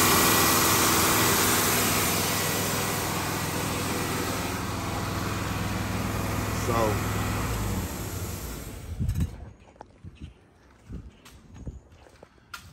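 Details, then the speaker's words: Chevrolet Tahoe V8 after engine bay pressure wash: idles loud and fast with steady drone, well above normal, before cutting off; owner suspects a vacuum leak he can't find, plans to replace intake gasket again. "it sounds like I got a leak somewhere but I can't find it I can't find it at all"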